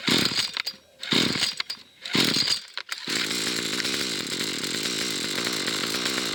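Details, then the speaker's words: Fairly new McCulloch two-stroke trimmer, carburettor cleaned twice, still hard starting: sputters in bursts then settles to steady high buzz on full choke, trigger held; cuts out on half choke, runs only on full choke. "I'm going to let it run on full choke which it does as soon as I turn it on to half choke it normally cuts out straight away unless I pull the trigger and keep the revs high"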